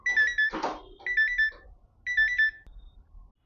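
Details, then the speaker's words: Samsung microwave oven that arrived dead with a shorted power-supply PCB, after repair, running a 1-minute heating test: two groups of three clear, high, evenly spaced beeps about a second apart as it switches off automatically; normal end of cycle. "ಇದು ನಾವು of ಮಾಡೋದು ಬೇಕಲ್ಲ, automatic ಅದೇ of ಆಗ್ತಿದೆ."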